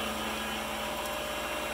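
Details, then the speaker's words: Precision Matthews PM-728V-T mill spindle running over 4000 rpm (4375 rpm): steady, even high-pitched whir with no knocks, rattles or wavering, nice and smooth; normal spindle running at high speed. "it sounds great it's nice and smooth this is awesome"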